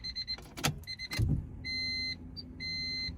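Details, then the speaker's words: Honda with newly installed Walbro 450 upgraded fuel pump wired through a relay, key turned to accessory: steady high electric hum for about half a second, drops, then runs again; normal fuel pump priming. "literally hear it kick on, bro. It's crazy."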